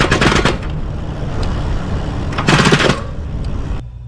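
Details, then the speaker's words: Lectric XPremium mid-drive e-bike with throttle: two short bursts of rapid, harsh clacking as the chain skips over the freewheel cogs when starting under motor torque in too high a gear. "then the chain skips over the Freewheel and you get this like this"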